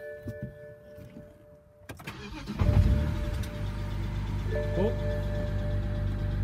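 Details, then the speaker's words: BMW 135i E82 N54 after engine rebuild, codes erased and a part replaced for P0306 cylinder 6 misfire: quick crank, clean catch, smooth steady idle with no stumble; runs like brand-new. "that works Brian like brand-new"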